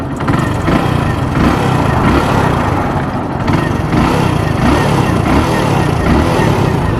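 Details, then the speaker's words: Hero Splendor Plus BS6 motorcycle, about 22,000 km: running with a dry chattering rattle from the head over an otherwise smooth beat, owner attributes it to the timing chain and plans to replace it. "वही चर चर वैसे तो smooth है ठीक है वैसे चर चर आ रही है बस बाकी सब स्मूथ है"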